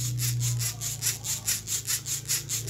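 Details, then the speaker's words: RC car (MN99 1:10) rear axle/differential turned by hand before regreasing: rhythmic scratchy rasp about five times a second, rough dry gear mesh, front axle equally rough; owner plans to open the gearbox and regrease, cause unconfirmed. "kasar ya sama yang depan ini Mas ini ya"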